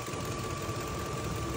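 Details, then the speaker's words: 2004 Ford F-150 with a new remanufactured 5.4 3-valve Triton and a replaced camshaft phaser, knocking on startup, recorded from underneath: warm V8 idle with a light ticking on top; source not pinned down. "It's not sounding much better. You hear it? Ticket, ticket, ticket, ticket, ticket, ticket, ticket, ticket, ticket."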